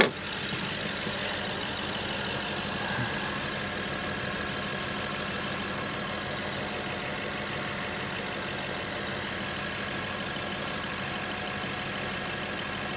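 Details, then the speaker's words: 2015 BMW 750i twin-turbo V8, accident-damaged, battery possibly slowly dying: smooth, even quiet idle with a soft steady hum and no knocks; normal idle, likened to a sewing machine. "Boy, listen to her, man. Sounds like a sewing machine, doesn't she? Yeah, she does. She sounds good, guys."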